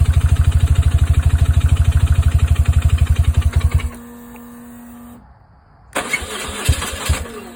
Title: 2002 R1150GSA no start after HES and everything new in tank